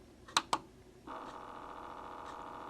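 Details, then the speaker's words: 1 By One turntable with a replacement motor, running unloaded: two switch clicks, then a steady, fairly loud mid-pitched whirring whine while switching to 45 rpm; the motor quiets under load. "can hear it, it's pretty noisy."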